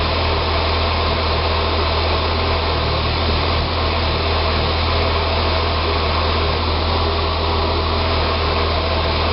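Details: 2006 Saab 9-3 2.0T after an engine rebuild: a steady idle hum with a slightly uneven, wavering beat underneath; it runs great with throttle. Rough idle, possibly vacuum-related, unconfirmed.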